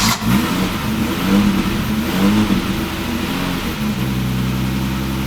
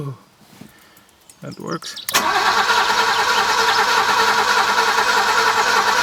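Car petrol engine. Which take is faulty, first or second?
second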